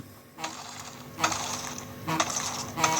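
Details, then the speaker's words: Nintendo Switch HD Rumble: short harsh buzzing bursts about once a second from both Joy-Cons, vibrating too much; owner wonders if loose rail mounting contributes, unconfirmed. "it really just sort of vibrates too much. It feels horrible. You can feel the vibrate in your hand. And it's coming from both Joy-Cons."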